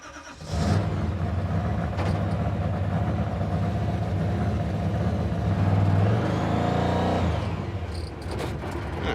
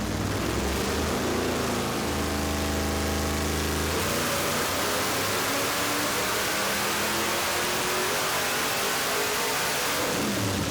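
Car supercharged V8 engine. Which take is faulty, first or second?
first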